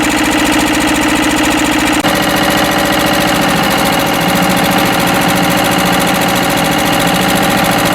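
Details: Westwood lawn tractor's Ruggerini twin-cylinder air-cooled vertical-shaft diesel, previously hydrolocked, after repair; even, strong firing pulses, steady and regular with no knocks or misses, hopefully now a perfectly working engine.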